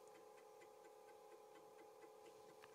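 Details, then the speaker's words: Apple II Plus second (lower) disk drive, which had debris inside, during a fast verify: quick head-stepping ticks over motor hum that sound weird and a bit uneven, cause unclear; the drive still works and boots Oregon Trail. "all right here we go space to continue sounds weird"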